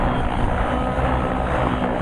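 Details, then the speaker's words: Nitro RC helicopter engine under heavy collective pitch load, rich mid-range: steady high-revving buzz holding pitch without sagging; holding power well, normal running. "This motor is actually holding on to power pretty good. I'm going to let go of the load and see how quickly it recovers."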